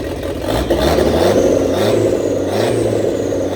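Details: 1927 Ford Roadster 2.3L turbo four after fuel-line repair, on fresh 91-octane fuel: catches and runs with a smooth whirring rev that rises and settles, no knocks or rattles; running fine, no fuel leaks, awaiting tuning.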